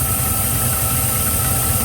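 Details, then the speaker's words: GM 6.0 V8 idling in park after knock sensor repair, codes cleared: steady idle rumble with a faint continuous high hiss, a vacuum leak traced to a cracked PCV elbow. "I do hear what sounds like a vacuum leak, but I could be wrong. The only thing it's got is the... Oh, the PCV is leaking, you hear it?"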